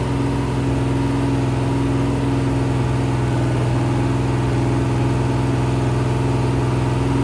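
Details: Rebuilt 426 Gen 2 Hemi crate V8 (new heads, intake, pistons) on run stand, flat-tappet cam break-in: steady even high-idle rumble, no ticking, knocking or misses; normal high idle.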